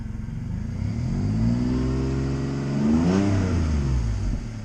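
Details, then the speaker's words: Audi A4 after coil pack replacement, revved: engine picks up cleanly on a couple of blips and falls back evenly, no misfire stumble or popping; sounds smoother; power steering pump known to be failing. "Actually, it does kind of feel and sound a little smoother."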